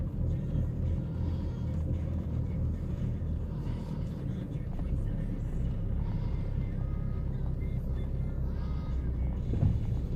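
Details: 2012 Chevy Cruze LS small petrol engine with a low, uneven, wavering idle rumble; mechanics couldn't find the cause.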